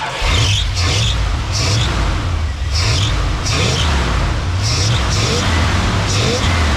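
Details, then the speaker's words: 1981-82 Dodge 1-ton truck, sat a couple of years, started after tightening fuel filter hoses: throbbing low exhaust beat swelling with revs; engine catches and runs on its own, but fuel pours from a leaking hose at the filter. "oh yeah it's running but it's pouring fuel out of it"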